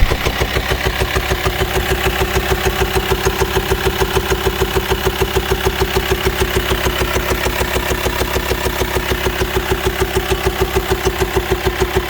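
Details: VW T5 2.5 BNZ diesel van, 4WD, long wheelbase, high roof, idling: steady, sharp ticking about three beats a second over the idle. It has no power and could not climb a hill; owner suspects worn camshaft and hydraulic tappets.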